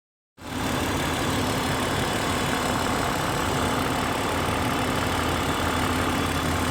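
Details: Petrol engine at idle with a busy, diesel-like clatter and a fast tick under the hum; the owner suspects lifter tick, though such engines are said to be somewhat noisy.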